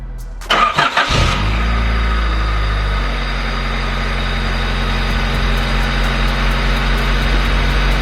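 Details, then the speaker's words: Honda del Sol first start after new carbon fibre intake, oil change and new spark plugs: brief crank, quick catch and flare, smooth even idle, intake noticeably louder than before; normal cold start and idle. "bro do you guys hear the sound of the intake you can hear it dude what that intake is actually way louder than the one that we had before like absolutely crazy"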